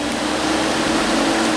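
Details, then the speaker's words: 2005 Chrysler Sebring that came in for overheating, after new cooling fans were fitted (a shorted fan had blown the fuse): steady, even rush of air on low speed with a faint hum, no ticking or scraping; normal radiator fan running. "okay everything is buttoned up the fins are workin actually"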